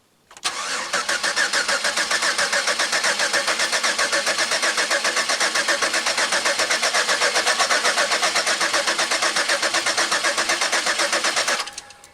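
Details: Pontiac Aztek cranked after 8 months sitting in pieces, no fire yet: steady, even starter cranking at about four beats per second with no binding or clunks; normal cranking, engine turns freely and is not seized.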